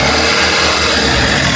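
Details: Mercedes-Benz Sprinter 2.1L diesel after turbocharger replacement, primed with oil, revved on first startup: loud, even rev with no whistle, flutter or misfire; healthy revving.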